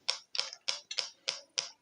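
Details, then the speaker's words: Two-transistor positive-feedback tone generator driving a small salvaged music-box speaker in place of the LED: sharp, even pops about three per second with silence between at a steady rate; low-frequency oscillator clicking normally. "You can actually hear the speaker popping at the frequency."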